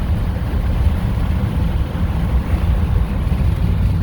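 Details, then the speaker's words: 2021 Ford F-250 Tremor Super Duty 6.7L turbo diesel 4x4 accelerating hard after AMSOIL 75W-140 diff fluid, 10W-30 oil change and cetane boost additive: deep even roar building under load, tires chirping through gears, no knocks or misses. Runs strong. "Wow. Man, that truck runs good. I think we chirped all the way through 4 years. Oh my God, that thing runs so good."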